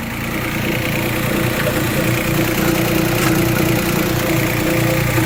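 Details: 2008 Chrysler 300 Limited 3.5 L V6 at idle, customer reporting horrible noises: uneven rattling clatter and scraping over the idle, constant rather than rising; traced to a bad timing belt tensioner pulley.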